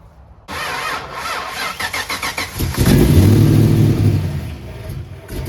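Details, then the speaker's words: 1990 Mustang LX 5.0 (GT-40P heads, F-cam, Pro-M 80mm MAF/30lb injectors/75mm throttle body, longtubes) after setting timing and idle, plugs not yet checked: cranks, stumbles with uneven loping beat and unsteady revs; rough running when cold. "dark started up set the timing checked it set it and adjusted to idle so still not great but the plugs I haven't pulled any plugs and looked at them so that isn't helping anything"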